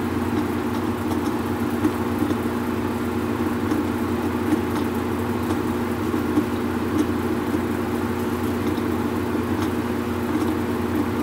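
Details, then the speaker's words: Whirlpool Cabrio washer, not washing or spinning, after refitting the off belt and tightening the loose pulley: steady even hum with pump drone, no knocking or rubbing during drain and spin; washer sounds healthy. "all right guys so we have just gotten done checking the motor the belt and also the pulley which was loose and the noise that you're hearing let's take a listen I'm going to press start it's in drain and spin pump"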